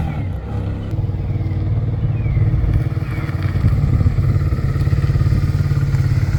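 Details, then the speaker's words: Abandoned first-gen Suzuki SV650S V-twin after stator, CDI and rear spark plug fixes: a steady, low, lumpy idle about three and a half beats per second with a faint light clatter on top; the rattle's source is unclear, lower end suspected. "It does sound a bit rattly."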